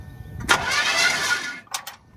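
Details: Old Chevrolet Impala, first crank attempt without intending to start: short, even burst of starter whir spins the engine freely with no clicking or dragging; starter cranking normally, loose battery connection found afterward.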